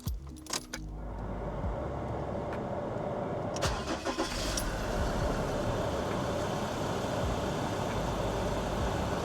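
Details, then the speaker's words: 2018 Mazda BT-50 diesel ute with no service history, during a full service, fuel pump primed by two 20–30 second key-on cycles: brief crank, then it fires straight away into a steady, even idle; healthy start. "Now this thing should pretty much fire up straight away."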